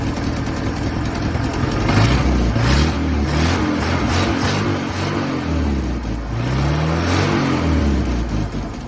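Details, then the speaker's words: 1963 Pontiac Tempest LeMans convertible, Trophy 4 four-cylinder (half a 389 V8), four-speed manual, just revived: steady even beat rising and falling smoothly with light revs, no misses or knocks; normal running. "there's so damn that motor sounds pretty good that sounds way better so yeah all right the car is driving under its own power"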